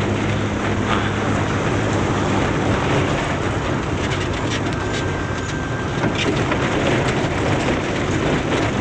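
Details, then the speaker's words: 2008 Suzuki Swift after front suspension, steering rack, driveshaft and front brake service, road-tested on rough road: steady tyre and road rumble with no clunks or rattles; earlier jingling rattle gone, front end tight. "yaah Mas sejauh ini sih aman Bang gerincingnya udah enggak ada lagi Ya Nah insyaallah untuk mobil ini kayaknya udah aman Bang"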